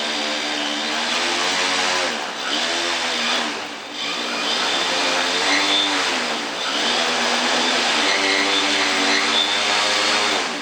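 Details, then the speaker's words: Quadcopter with Pixhack 2.8.4, 40A linear ESCs, 360kV motors, 14-inch props, 5200mAh battery, indoors: motors whine loudly, pitch rising and sagging past half throttle, craft tips and won't take off; cause uncertain, owner suspects weight. "this is when it begins to attempt to take off so I have yet not yet successfully taken off it's always just tipped more than half throttle"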